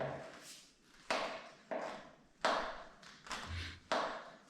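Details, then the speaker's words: Bicycle steering head being rocked on the fork with the wheel removed: sharp dull knocks about once a second from headset play. The knocking was ultimately traced to the lower headset race, and after the fix the bike is silent. "guess you have no doubt it shoots and it shoots in this place down here I can feel it intensely I can thumb here put it under I feel it hitting me on the finger"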